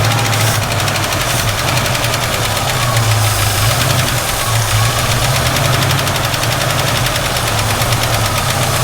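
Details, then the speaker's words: 1967 Ford Mustang V8, long-sitting, carburetor suspected to need rebuilding, cold and idling high on heavy choke: fast, steady light ticking over the rumble, first taken for valve tick but later traced to a rattling PCV valve. "Still one heck of a valve tick, but maybe that'll go away."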